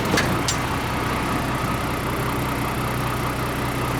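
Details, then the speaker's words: 1993 International (Thomas) school bus, older mechanical diesel without electronics, just started and idling: steady, even diesel clatter with no knocks or misses. Runs well, normal idle. "we'll step out here and you can give it a little throttle so they can hear what it sounds like. So it runs really good."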